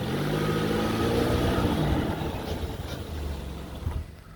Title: 30アルファード フロントブレーキ 異音 ギシギシ音